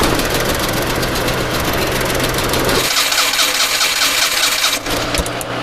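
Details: Suzuki Mehran that wouldn't start after an engine wash because water in the ignition weakened the current. After a direct connection, a brief crank churn, then it catches and settles into a steady, even idle.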